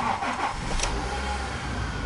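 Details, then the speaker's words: Honda Civic EU3 after check-engine light traced via self-diagnosis to EGR valve fault; light went out, engine cranks and fires quickly, settling into steady even idle without misses, idle now holding better. "все нормально работает все чики пики"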